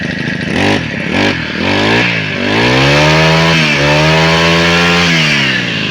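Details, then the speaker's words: Honda GX35 small four-stroke engine after fuel line and carburettor replacement: throttle blip then clean climb to steady high rev without stumbling, no stalling; normal revving. "เห็นอ่าเครื่องยนต์ไม่ดับแล้วนะครับเพื่อนๆเครื่องยนต์ไม่ดับแล้วก็ถือว่าเป็นปกตินะครับเพื่อนๆนะ"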